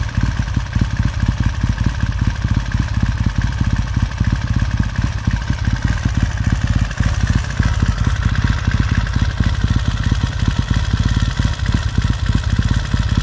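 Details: 1969 Triumph T100C after rebuild, started cold on one kick: crisp, even twin-cylinder firing with smooth throttle blips, no knocks or misses; healthy fresh engine, normal warm-up idle.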